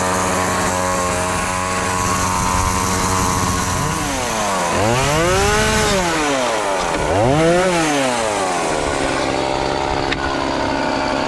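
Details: Homelite chainsaw that sat for years and wouldn't fire, after carburetor and fuel line replacement, cleaning and tune-up, cutting a pallet: strong, clean two-stroke buzz revving up and dropping back smoothly under load; normal running.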